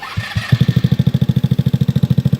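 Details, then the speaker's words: 2004 Yerf-Dog GX150 go-kart engine after valve lash reset from 0.005 to 0.004: fires on first pulls, even thump about ten beats a second, no racing; easy start and steady idle, slight tap remaining. "But this is how easy she starts now."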